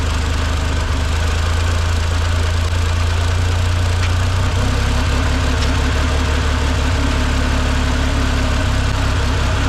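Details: 1958 Lull telehandler/cherry picker, parked 15 years with a fuel issue, holds a steady low idle with a faint light knock only on choke and stalls without it; running too lean.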